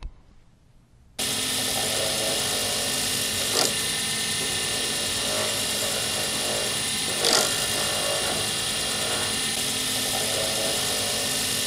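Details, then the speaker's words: Lathe turning a D-shaped circuit board blank for a Sierra pen: even spinning hiss with two short, sharp scraping flares; the tool is catching and scratching the blank, which should be avoided. "well I hope you could hear it that's what it sounds like when you make a scratch on a blank and that's what you try to avoid"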